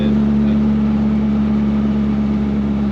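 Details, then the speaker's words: 1963 MG Midget cruising in third gear on the road after restoration: steady mid-pitched gear whine over road and engine noise; third gear is noticeably loud and whiny. "this thing just makes like a lot of that's all there is to it yeah like thirds are pretty loud you can hear it whining"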